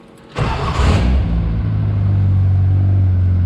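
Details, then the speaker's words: K-series MG Midget with new custom exhaust using a Toyota Yaris centre section and long tailpipe: catches after a short crank and settles into a deep, steady, fairly quiet idle burble; quieter than before, old-car sound. "That's not too bad. Definitely quieter than it was. With the long tailpipe, it's got that kind of old car sound."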